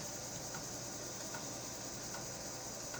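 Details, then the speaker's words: An MPI Model 92 720KB quad-density 5.25-inch floppy drive, after a spring replacement, formats a 360K disk under FreeDOS with a soft steady spinning hiss and a faint head-step tick about every second, working normally. "it's formatting a 360k disk"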